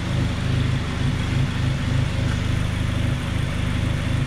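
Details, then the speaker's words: 2002 Honda Civic EP3 Si hatchback, seventeen years old, after cleaning the idle air control valve to cure a surging idle; low even purr, steady smooth idle with no misses or hunting, no check-engine light; normal idle. "everything runs fine you can hear a purring like it's supposed to seventeen-year-old car runs great"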